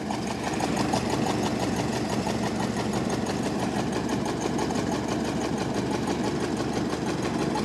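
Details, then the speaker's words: 1929 Ford Model AA Express barn find after 30+ years, warming up with coolant: four-cylinder idles with an uneven, lumpy beat near three pulses a second and loose clatter; number 4 cylinder doubtful, exhaust leak at rear; rough idle. "t it down to idle here and it's starting to sound pretty good. Not sure if number 4 is coming around on us or not"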